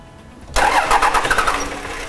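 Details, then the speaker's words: 1998.5–2002 Dodge Cummins with VP44, just after installing a Fleece PowerFlo in-tank lift pump: starter cranks with rapid irregular chuffs that don't catch; air in injector lines, bled at injectors one and three. "all right so we are going to have to bleed them I'm probably gonna have to get a different branch than this open up the number one and three injectors usually ones just fine"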